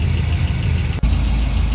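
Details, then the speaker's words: Engine with long-tube headers, after replacing the passenger-side collector V-band clamp: even deep idle with steady low rumble, no puffing or ticking; exhaust leak fixed. "No more exhaust leak. No movement from the paper. Nice and quiet."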